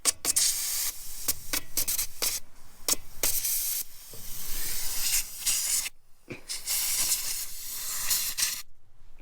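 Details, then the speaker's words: Old Cummins L10 diesel semi truck, stored roughly 23–30 years, just started; loud rushing hiss in repeated bursts with steady escaping air from the bottom of an old air pressure valve, likely built-up junk keeping it from seating. Air brake system leak. "what do you think we got a massive air leak just out of the bottom of that so A lot of times these old air pressure valves junk gets built up right at the"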